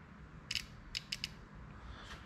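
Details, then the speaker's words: Kawasaki Bayou 220 ATV, neutral safety relay being wired for the electric start, key on in neutral: four sharp, dry clicks in quick uneven bursts, engine off; relay chattering because its power wire fell off. "I'm going to turn the key on. Listen for it. It's in neutral. Oh, my power wire fell off."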